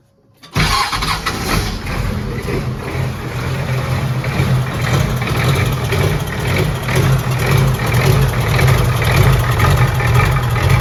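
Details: Built 1990 Ford F250 7.3 IDI turbo, first start, injection pump not yet timed, low battery amperage: engine catches and runs rough and uneven with heavy lumpy diesel clatter settling toward idle; hard start.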